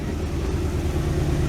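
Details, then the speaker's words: 1967 Ford Galaxie warming up on its two-barrel carb and a makeshift fuel supply, idle kicked up slightly: rough, lumpy low idle with uneven beat and faint popping; owner suspects a dead cylinder dragging, not confirmed. "I think we got a dead cylinder we're dragging we'll see if it'll fire back up"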